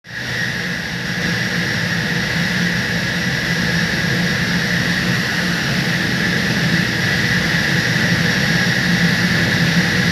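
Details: 1300 TR centrifugal chiller surging live: loud jet-like roar with steady high whine, making huge noise; refrigerant level checked at condenser.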